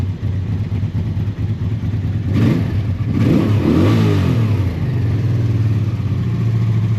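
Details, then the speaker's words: Honda motorbike on full choke after its float bowls were drained and refilled with fresher fuel: fires on first turn, settles to a steady low thrum, with a couple of clean throttle blips. Normal revving; fresh fuel still advised. "I think this needs some fresh fuel, but other than that it's [Music] fine."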